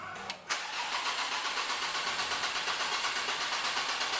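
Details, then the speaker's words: 2008 Nissan Navara D40 2.5 common-rail turbo diesel with misfire, rough running and black smoke, cranking with injectors unplugged: steady even rhythm about three beats a second; starter current shows even compression, engine mechanically sound. "as you can see all even right so we can pretty much assume mechanically the engine's quite sound"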